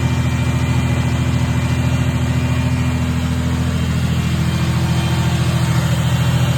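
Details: 1990 Ford Thunderbird Super Coupe supercharged engine, after correcting swapped plug wires 5 and 6: even, steady idle pulsing about 200 per minute, sitting noticeably high; owner suspects a vacuum leak, to be found with propane.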